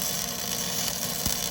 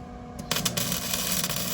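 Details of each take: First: Flux-core welding by a first-time learner using small circular motions: steady, even hiss and crackle like frying bacon, no pops or stutters; normal flux-core arc producing a good-looking weld. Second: Flux-core MIG welding by a first-time learner: short crackling arc bursts that keep cutting out instead of a steady sizzle, wire sticking to the work because the gun tip is held too close; fix is backing off for a small gap.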